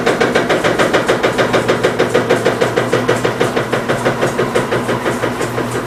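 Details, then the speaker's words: Electrolux LT15F washing machine in spin, with rear suspension noise: rhythmic thumping about three times a second; drain hose knocking on the cabinet cup. "tá barulhento mas diminuiu um pouco a mangueira tava batendo no no copinho"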